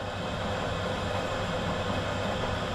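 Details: Big drill press run unloaded from an EcoFlow Delta 2 battery power station, drawing 560 watts doing nothing: smooth, even hum with a steady faint whine, no knocks or rattles; running normally.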